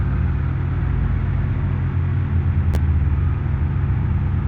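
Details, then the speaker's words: Proton Waja MMC manual, just started with aircon on: steady low rumble idling fast around 1,000 rpm; high idle, traced to a problematic Mitsubishi Airtrek throttle body, gasket issue and poor ECU mapping. "Dia timing streight tinggi tu. On aircon pun 1,000."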